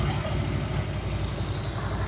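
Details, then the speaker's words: 1999 Harley-Davidson Road King, original owner, carbureted, found not running, after carburetor replacement, just started and warming up with no choke: deep, loping, steady idle with tapping; runs great but smokes badly on startup, cause unknown. Normal warm-up idle. "Sounds like a brand new bike. Wow. Warm it up with no chokes."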